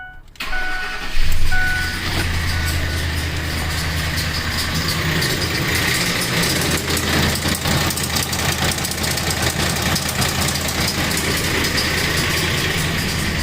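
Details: 2004 Ford F-150 4.6L V8 4x4 that rattles, stalls and idles rough right after a transmission replacement; the dealership said it needs a new engine. It cranks, catches and settles into an uneven, lumpy idle with a busy metallic rattle, traced to a jumped timing chain.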